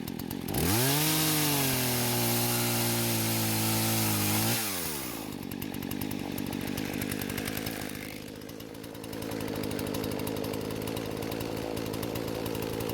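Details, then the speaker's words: Husqvarna chainsaw that wouldn't start, after repair and carb screws reset: fires, climbs to steady high scream, bogs slightly into the cut and keeps pulling evenly; running normally. "so it seems like the gamble paid off and the chainsaw is working just like it's supposed to now"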